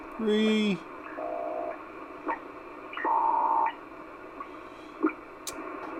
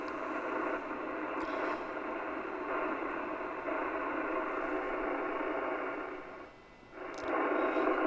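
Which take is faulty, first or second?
first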